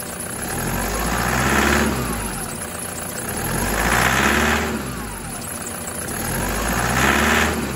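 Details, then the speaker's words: 2008 Toyota Prado 120 with 1KD diesel, brand-new engine, turbo and injectors, stone cold (about 5–7 °C) after one minute running; three gentle revs to about 2000 rpm give a rattly clatter with some chirp from aftermarket drive belts. Normal cold diesel noise until warmed above 83 degrees. "I'm basically attempting to make the engine make a bit of noise so that you know that even if you've got a new engine or an engine in as new condition and new injectors, when it's this cold, that's what it can sound like."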